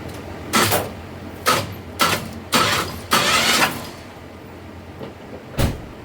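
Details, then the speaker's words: 1989–92 Chevy S10 with the 2.5 four-cylinder, in for hesitation/misfire, cranked on the starter: about five short cranking bursts with a wet, spitting rush as coolant is blown out of the cylinders; blown head gasket, and the head is possibly warped. "the damage is already done, so there ain't nothing you can really do about it. Head gasket's blown, it's blown."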